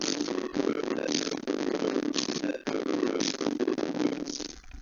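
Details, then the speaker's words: Adafruit MAX98357A I2S 3W class D amplifier in a 3D-printed mailbox boombox playing scratchy music with popping, clicking, dropouts and hiss, caused by a poor ground connection. "so there's a lot of popping and clicking and hissing if you hold it in just the right spot you'll get super clean audio which and that is because I'm I'm making sure that it's it's on there really really well especially the ground side"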